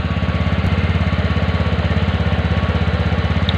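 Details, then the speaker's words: TVS Ntorq BS6 scooter just after cold kick start; auto choke holds idle a bit high with quick even single-cylinder putter, rpm drops automatically later; normal choke-raised idle. "Ntorq auto गला घोंटने की समस्या है, इसलिए RPM थोड़ा वहां और अधिक है। इस में इसमें ऑटो चोक है। आप कुछ समय बाद निकास आवाज सुनो, यह स्वचालित है। इसमें कमी आएगी।"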